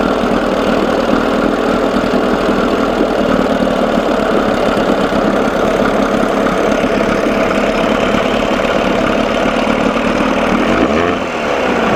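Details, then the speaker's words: 1987 Johnson 6hp outboard in a test tank, mixture being leaned out after a carb linkage fix: a steady buzz with faint irregular stumbles as it starts missing. He then backs the screw out ¼ to ½ turn; the engine also runs cold. "see if I can get it to lean sneeze it sounds like it's missing a little bit"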